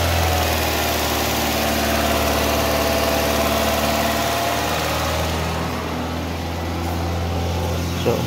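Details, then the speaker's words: Toyota Vios with a hard-start problem, after replacing the fuel pump: the engine now starts and holds a steady, even idle that sits a little too high with slight vibration. Throttle body suspected dirty, not confirmed. "Yun mga boss goods na umaandar na medyo mataas lang yung menor niya"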